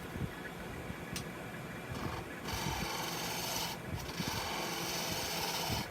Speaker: white light cut all shearing touch all slices easy